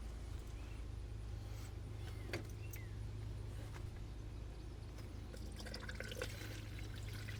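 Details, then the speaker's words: 2013 Jeep Wrangler JK after water pump replacement, refilled with 50/50 coolant: quiet irregular gurgle and trickle under a low hum as trapped air bleeds out of the loosened bleeder until coolant appears; air bleeding from cooling system. "it's getting louder there's water you hear it stop mhm okay that means we tighten that back up"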